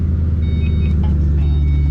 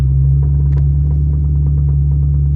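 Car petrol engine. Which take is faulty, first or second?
second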